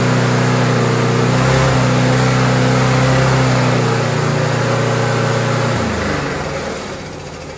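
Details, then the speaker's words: Found roadside Rover 4-stroke walk-behind mower after carburetor refit: runs steady and even at constant speed, then winds down smoothly at shutdown; engine running side sorted. "so there you go folks and peas like we've addressed the actual running side of the engine"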